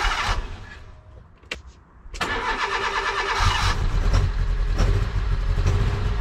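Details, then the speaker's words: Low-mileage mk1 Fiat Punto with a recurring misfire: cranks and catches, then a lumpy, stumbling, uneven idle, even worse after reassembly; owner suspects the HT leads are fitted in the wrong order. "now it's even worse still"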